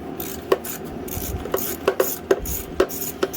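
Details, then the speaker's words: Simplicity 560 snowblower recoil starter in about 10-degree cold: each pull gives a few dry, uneven crunching clicks as it engages; starter dirty and crusty, to be cleaned with penetrating oil and its bearing surface oiled. "that did not sound happy crusty oh yeah just i thought that's all ubered up kind of dirty spray some penetrating oil on there"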